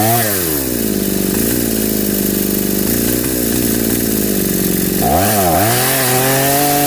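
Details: Home-built two-cylinder two-stroke brush cutter with carburetors joined and a single ignition coil (owner wonders if one is missing): uneven buzz surging and sagging, cylinders only run one at a time; misfire, running on one cylinder.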